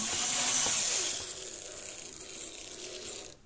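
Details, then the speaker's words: Lima Class 55 Deltic model locomotive, tested on track after a tear-down and clean for poor running. A light, even high-pitched motor and gear whirr with no catching; runs much better and smoothly. "Let's see what we get. Okay. Well, she's a lot better."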